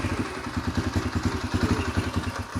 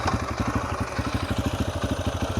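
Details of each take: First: 2004 Yamaha TTR125L after carburetor clean and rebuild warming up: fast, fairly even single-cylinder putter for about three seconds then dropping away; nothing leaking, sounds decent. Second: 2004 Yamaha TTR125L warm after carburetor rebuild, new plug and air filter, post test ride: steady smooth putt about eight beats a second; idle set slightly low after adjusting down, owner happy, may leave it.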